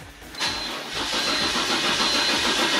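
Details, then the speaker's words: BMW E46 330Ci 3 Series cranks but won't start: steady starter cranking at about three and a half turns a second, engine never catches; fuel pump and ignition coils to be checked. "So, let me show you guys how it doesn't start this three series right here."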